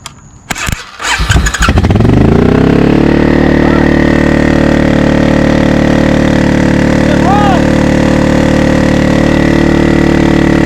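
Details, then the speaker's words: 20-year-old barn-find Suzuki Intruder V-twin, after tapping a stuck float on the freshly rebuilt carburetor: a few cranking bursts, then it catches and settles into a steady, even idle with no misses; starts and runs normally. "well at least we know that it runs now headphone users I apologize"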